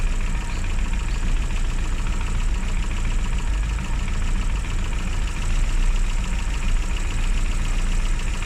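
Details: Classic Mini (Riley Elf) with points ignition, idling after a hard cold start on the year's coldest day, following about three months unused: low, even idle with a steady beat, no misses or knocks; settled and smooth.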